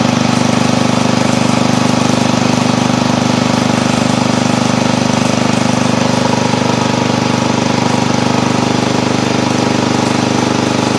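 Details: Old Montgomery Ward Power Kraft garden tractor single-cylinder engine with choke and throttle up, at first start after cleaning, oil full: a steady, even fast beat with no misses or knocks, running smoothly; a stutter appears later when driving.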